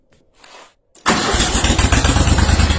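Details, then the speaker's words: Steiner zero-turn mower (Textron), Kohler Command 25 twin, after new stator, voltage regulator, coils and tune-up (previously ran on one cylinder): brief crank, catches at once, steady even idle; normal start. "starts up like nothing HS like a kitten"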